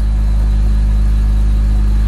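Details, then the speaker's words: BMW E46 330i M54B30, after an M50 intake swap, ICV delete, 76 mm N52 throttle body and new fuel rail: steady, even, smooth idle with no hunting or surging; a vacuum leak is likely fixed and the engine idles normally. "so right now it's actually not bad at all this is the smoothest it has"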